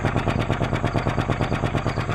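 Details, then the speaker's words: 2004 Acura 2.4 i-VTEC DOHC, codes P0301–P0304, flashing check engine light, heard at the tailpipe: sharp regular pop-pop-pop about seven per second with a raw fuel smell; one cylinder not firing, misfire. "that pop-pop-pop-pop let's put our hand up on the tailpipe as if it sucks it in not really it smells like raw fuel back here so we've got a cylinder not firing"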